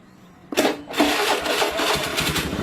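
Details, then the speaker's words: Honda Beat FI scooter whose starter only clicked despite a good 12.42 V battery, started by jumpering at the connector. Quick starter whirr, engine catches within half a second and runs steadily; no starter motor fault. "Nah, motor hidup ya. Kita ulangin. Tidak ada kendala di bagian dinamo starter."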